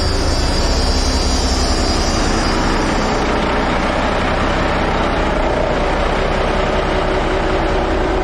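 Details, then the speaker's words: Army 5-ton 6x6 dump truck diesel converted from 24 V to 12 V, on new batteries replacing 8-year-old ones, charging at 14.1 V; cranks fast and strong, fires into a deep steady rumble, normal start. "Hopefully you could hear it. It cranked really hard."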